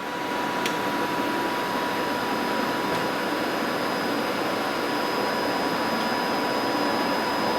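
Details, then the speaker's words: YesWelder MIG-205DS MIG welder, wire feed button pressed with gun tip removed: steady thin whine at even pitch, no catching or slipping, as wire feeds through the liner; normal wire feed motor. "you want to push this wire feed button and you're going to hear the wire roll through the machine"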